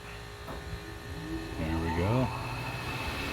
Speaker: good, nice and quiet. And then the pressure switch is cycling.